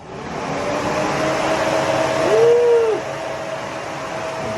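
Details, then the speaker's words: Scion FR-S with 1JZ-GTE VVTi swap, coolant fans triggered via ECU output test: steady even whoosh with faint constant hum and no rattle or rub; cooling fans running properly. "plenty of coolant. Turn it off. The fans are running good."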